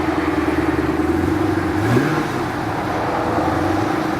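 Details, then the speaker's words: 2014 Chevrolet Camaro SS, 6.2-litre V8, 44,000 miles, rebuilt title, stock exhaust: big V8 settles into a steady, throaty idle with a smooth rev blip, no knocks or ticks; not overly loud; normal idle and rev. "got the stock exhaust so nothing super super exciting that weighs far as its not being super loud it sounds good"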